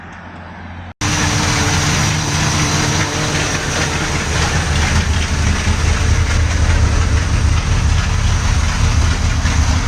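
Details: 1979 Corvette carbureted small-block V8 (Quadrajet), off the road since 1995 and recently flooded, idling at first start with an uneven, choppy pulse, stumbles and a little smoke. It's a misfire; the owner suspects it needs plugs and a cleaned cap.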